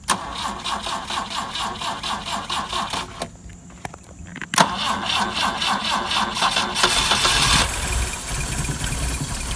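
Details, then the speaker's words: Long-dead fake BMW 2002tii started with its entire electrical system bypassed, running on only six direct wires (remote start switch, fuel pump feed): steady starter cranking about four beats a second, pause, then catches and settles to even idle. "and there you go I have started and am running in fact a very long dead car using only well in this case six wires"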